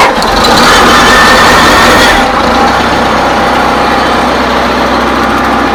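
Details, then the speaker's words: 1955 IH Farmall Cub tractor, after turning the fuel shutoff back on: engine catches and settles into a quick, even beat, quiet like a sewing machine with no misses or knocks; charging; normal running. "one of the nicest running cubs I've ever had. It sounds like a sewing machine. She's really quiet, for sure."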